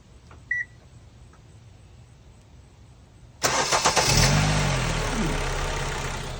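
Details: 2014 Kia Forte after a no-crank, one-click fault was fixed with a $16 repair: after a quiet spell and a short beep, a brief crank catches straight away and settles into a smooth idle; starts normally.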